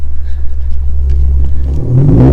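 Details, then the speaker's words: Lexus RC350 V6 with newly installed PPE headers, mid-pipe and axle-back, essentially straight-piped with no resonators, heard from outside: deep drone turning harsh, high-pitched and raspy between about 2500 and 4000 rpm; resonators planned as fix. "right around like 2500 rpm there's like this crazy crazy crazy raspy noise and it sounds horrible listen oh my god horrible dude that rasp insane"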